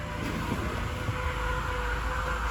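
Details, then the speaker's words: 2006 BMW 525i E60 cold start at about 30°F: thin, sustained high squeal over the idle rumble, not pulsing, after idler and tensioner pulleys were already replaced; A/C compressor pulley bearing, before replacement. "It sounds like a couple of kids screaming inside the car, but let's go ahead and do that. It's about 30 degrees out. And there you go. There starts the sound."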